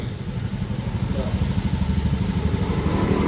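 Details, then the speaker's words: Honda Beat FI scooter being tuned for high fuel consumption and black exhaust smoke, idle set to 1500 rpm: steady low even putter about three beats a second, idling cleanly with normal throttle opening; normal idle. "Oke, aman. Oke, untuk langsang normal ya, bukaan gas normal."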